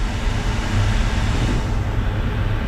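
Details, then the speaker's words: Diesel-fired ex-airport incinerator newly wired for 220 V, first start after sitting for months: after the purge and pre-burn it lights with a deep, steady roar, no pulsing or sputter, and holds a stable flame. "3 two one boom pre-b bur I hear the pre-burn for sure says we got Flame"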